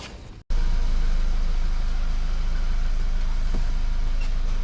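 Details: VW Golf Mk5, 50,000 km, after fixing a rattle caused by fuel lines moving inside the frame (secured with cable ties): steady, clean engine at raised revs, rattle gone.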